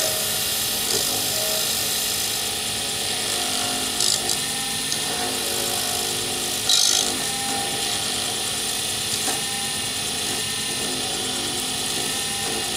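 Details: Wood lathe turning a D-shaped circuit board blank for a Sierra pen, ends pre-turned to bushing size: quiet, even hiss of the tool, no chatter or catches; a clean cut with very little noise and shavings coming off in ribbons.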